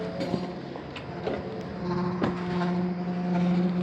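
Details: 2014 Ford Fusion: steady low moaning hum holding pitch and slowly growing louder from the fuel tank area; car usually stalls after this noise; cause unknown; moaning noise from fuel tank.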